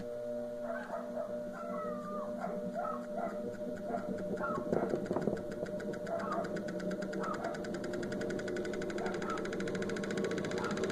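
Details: Wanke spin dryer that only hummed without spinning due to a burnt capacitor, after the new capacitor is connected: even motor hum with quick regular ticking as the drum spins up, no groaning or stalling, so it spins properly.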